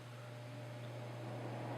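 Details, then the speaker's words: Honeywell HCM-6009 humidifier at slowest fan speed with water reservoirs in place, after vibration reduction: steady low constant-pitch hum under airflow hiss; electrical hum from the motor itself, not fan imbalance. "is a slight amine which I found out is not from actually defendants unbalanced but from the frequency in the motor so the motor itself is humming"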